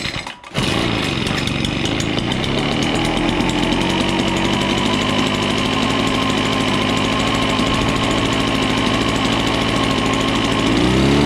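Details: Old Echo PB-413H backpack leaf blower after a tune-up kit and new air filter (fuel filter and lines unchanged), started on choke after four primer pumps: revs up to a steady, even high-speed two-stroke drone with no surging or misfire. It runs like new.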